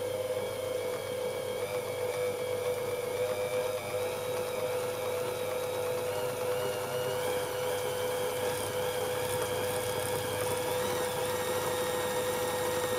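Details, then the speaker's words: Singer 201k sewing machine with a DIY servo motor, speed reducer and force-control pedal. An even whirring hum climbs smoothly in pitch from slow (8 stitches/min) to top speed of 540 stitches/min, with no knocks, catches or rattles. Normal running. "I will now gradually increase speed to show you that this is possible. I increase slowly to max speed."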